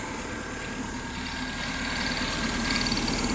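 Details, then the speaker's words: Car running at a rough, uneven, loping idle with a faint steady hiss; owner suspects a vacuum leak, not confirmed, and it was later seen smoking. "I'm not going to lie. Kind of sounds like a vacuum leak."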